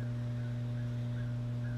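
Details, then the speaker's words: Mains hum from the 1937 Gilfillan 731T-C radio at about 110 V on the variac, a 0.02 µF capacitor jumped from plate to output-tube grid; a constant low fixed-pitch buzz with no signal, AC ripple through the original, unreplaced electrolytic filter capacitors. "there's my nasty hum back again again the electrolytics have not been replaced so I'm sure I've got AC Ripple in the DC side"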